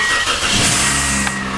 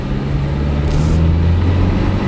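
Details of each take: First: 2003 Toyota Corolla after a new exhaust system, cold start the next morning: short burst of tinny metallic buzzing from the loose main heat shield on the exhaust manifold, rattling only on startup; otherwise quiet. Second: 2003 Toyota Corolla cruising after a new exhaust system was installed: a low, steady exhaust drone with no rasp or rattle, far quieter than before; normal exhaust note.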